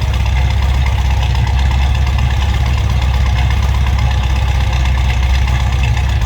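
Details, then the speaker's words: 1968 Ford Mustang GT Fastback, 302 V8 with 4-speed manual, shortly after a cold start: deep, steady V8 burble with an even, lumpy pulse and no ticks or knocks; healthy normal idle. "Remember, 4-speed manual transmission of that 302. This one sounds nice too, folks. Listen to that."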